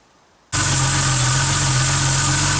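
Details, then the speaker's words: Porsche 930 boxer engine before disassembly: catches and settles to an even idle with a faint steady hiss on top; head gasket appears blown on the third cylinder. "det lyder sådan her, man kan godt høre, at den visler lidt."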